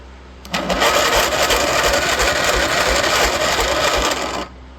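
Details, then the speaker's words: Junkyard small engine with oil added to the cylinder, compression slowly building: slow, uneven cranking at about four turns a second without catching; weak starter, but it still turns it. "Just needs oil and it will build compression slowly. The starter ain't the best,"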